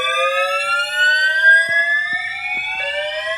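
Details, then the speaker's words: Building fire alarm that woke the occupant in the morning, sounding its evacuation signal; loud, very regular upward-sweeping whoops at about three per second; the occupant doubts it is a real fire but evacuates. "Yeah. So, thanks to the alarm for waking me the [ __ ] up."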